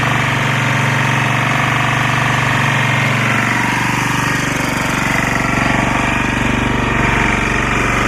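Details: Lombardini 6LD260 air-cooled diesel on a traffic sign, just cold-started after 10 years unused on fresh fuel, alternator charging battery; steady even chug about four pulses a second, no misses or knocks, tone changing slightly as lights flash; normal idle.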